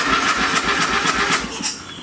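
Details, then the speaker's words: Old late-1980s/1990s single-cylinder lawn tractor, choked, after a used brake safety switch was fitted: steady cranking, never fires; the carb appears to be flooding gas, so the needle valve and seat likely need replacing. Cranks but won't start. "and this thing looks like it's flooding gas in the carb so it looks like I'll have to replace the needle valve in seat"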